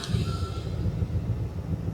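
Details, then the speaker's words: Water ski boat engine with newly installed refurbished carburetor with smaller jets, starting on first try: catches and settles into low, steady rumble with no stumble or misfire; clean, healthy start. "it just starts on the first try that's what we're looking for"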